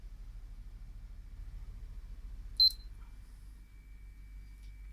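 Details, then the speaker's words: Hatari standing fan after repair with new two- and five-pin connectors: one sharp high control beep, then steady low fan hum; running normally. "after the repair yee-haa low medium high swivel stop swivel back we are back in business"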